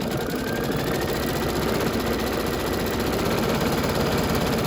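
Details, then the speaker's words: Embroidery machine stitching a DIME Spring Applique design at high speed right after a needle change; fast, even mechanical chatter with a steady needle rhythm and no knocks or grinding. It sounds better, probably what it needed. Normal stitching. "But I think it sounds better. Probably what it needed."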